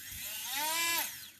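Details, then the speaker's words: Motor on a home-built drone, spun via the ESC with the battery connected and no propellers fitted, motor one tested: clean whine rising over half a second then dropping away; spins freely and healthy. "and now we have power so if we put motor number one spinning up is gonna be push one up number two"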